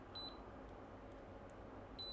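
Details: Kaiweets KM601 multimeter, red probe on ground, fine-tip probes on a board: two short, clean high-pitched beeps about two seconds apart in a quiet room; continuity beep from pin to ground.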